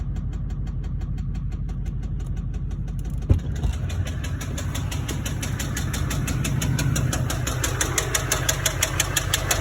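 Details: LBZ Duramax diesel truck idling with a heavy, regular knock about three a second from a spun rod bearing on the crank, which gasoline put in the tank contributed to.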